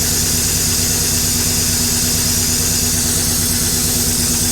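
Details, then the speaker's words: LS-swapped 1956 Chevy V8 idling loudly with a light, fast clatter over it; owner calls the lifters a little clickety-clack but not terrible, and suspects a faulty sensor behind the zero oil pressure reading; mild lifter tick, unconfirmed. "probably it's got the lifters are a little clickety clack but honestly not terrible"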